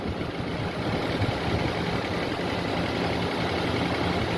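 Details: Nissan VIP petrol engine idling rough with uneven low thump: cylinder 4 misfire, voltage unchanged when its injector is unplugged; suspected ECU not driving injector 4.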